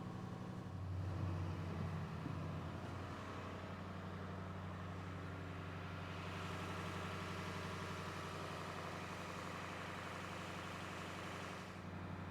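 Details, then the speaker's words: International 3800 school bus, T444E diesel, in Alberta, in cold warm-up high idle around 1400 rpm: steady, even diesel drone at raised idle with no knocks or misses; healthy. "as you can probably tell the bus has now gone into high idle so it is warming up so it would appear high idle on the buses around 1400 RPMs"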